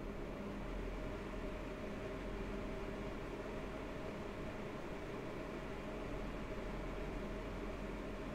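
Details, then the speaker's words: MSI RX 480 Armor OC 8GB graphics card fan noise test, decibel meter shown, max temperature 72°C even overclocked: quiet steady whoosh with faint low hum, no rattles or ticking; normal, very reasonable fan noise. "I feel like fan noise is very reasonable"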